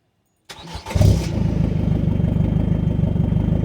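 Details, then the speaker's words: Ford Fiesta Zetec S 1.6 TDCi diesel after fitting stainless Milltek turbo-back exhaust (ST150 system, custom downpipe, de-cat, no centre boxes): quick start settling into a steady low exhaust rumble at idle, no knocks; sounds like a normal Fiesta. "that is it that just sounds like a normal car exhaust rumble or just a normal fiesta sound like it did before"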